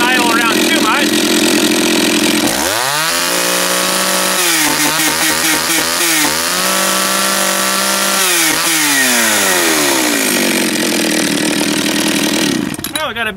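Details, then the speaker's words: Japanese-made John Deere EV45 two-stroke chainsaw after carburetor rebuild, just started, no chain brake: idles steadily, then blips to high revs and falls back smoothly several times without stumbling; running fine. "turn the switch off pull the choke out it's got no brakes be careful fired right up"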